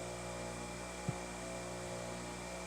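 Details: Grinder at running speed before a four-run balance, accelerometer on a non-flat surface: steady buzzing hum with a constant throb; rotor imbalance reads about 0.85 in/sec at running speed and is later reduced to 0.12 in/sec.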